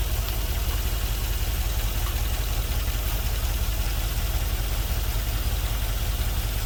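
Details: LS-swapped GMC Vandura, first start after ECU flash: lumpy idle with an uneven low thump roughly every second, running on five cylinders; owner suspects a couple of injectors not firing; misfire at idle.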